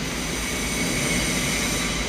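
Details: 2017 Isuzu D-Max diesel with about 279 km and a P0299 turbo underboost, loss-of-power complaint: a steady idle under an airy hiss and a faint high whistle, no surging or clatter. Idle normal.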